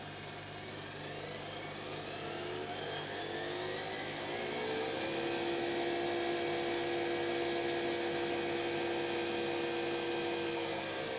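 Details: Electra ELEC1647A3 washing machine motor dying, ~10 wash cycles after new carbon brushes: rising electric whine climbs then holds high and steady with a rough edge; damaged worn commutator, needs new motor.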